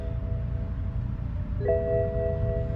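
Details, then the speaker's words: BMW 750i with N63 twin-turbo V8, ignition on, checking vehicle info: low engine hum then repeated two-tone dash chime warning engine coolant level low, also oil level messages; car junked as not worth fixing. "engine Co level low yes we knew that engine oil level oh my Lord stop it stop dinging at me this car is so angry"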